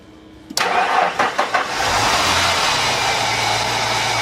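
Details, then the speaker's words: 1990 Ford Thunderbird Super Coupe after battery cables reinstalled and tightened: a click, a brief crank, then the engine catches cleanly and settles into a steady idle; healthy start, fixed. "success pretty straight forward got her fixed"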